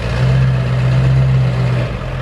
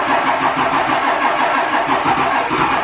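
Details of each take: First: 7.3L Powerstroke diesel after a harness repair fixed it running on four cylinders, block heater on: deep, steady diesel rumble, even beat, no misfire or knock as the truck idles and pulls away; normal idle. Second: 7.3L Powerstroke diesel running on four cylinders: lumpy, uneven idle with a loping beat, half the cylinders not pulling; one bank dead from an injector harness fault, later fixed.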